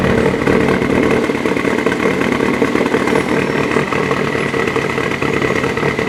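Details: 2014 Subaru WRX Premium at idle: drones with an uneven, lumpy, wavering beat; rough idle under diagnosis, cause not pinned down.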